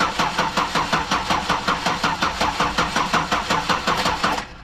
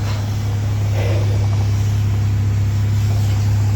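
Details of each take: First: 2009 Buick LaCrosse cranking on a booster pack with the battery at 2 volts. Even cranking that never catches; a no-start with no spark. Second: 2009 Buick LaCrosse, crank-no-start fixed by a new crankshaft position sensor: starts right up and idles with an even, steady low hum, no misses or stumbles; healthy.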